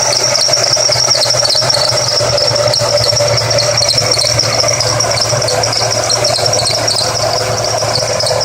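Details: Engine running with a steady, piercing high squeal that never lets up over a low hum, from the front belt drive; which belt is squealing is not yet known.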